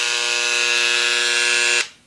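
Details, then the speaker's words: Dremel engraver, new, that owner feared was broken but confirmed is supposed to sound this way: loud, steady high-pitched buzz holding evenly nearly two seconds then cutting off; normal engraver buzz. "That is normal, okay?"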